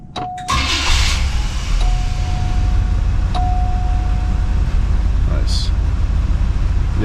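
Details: 1980 Cadillac Coupe DeVille, first start of the year after sitting six months through a Minnesota winter: cranks briefly, catches quickly and settles into a steady, even low idle with no knocks or stumbles; healthy start.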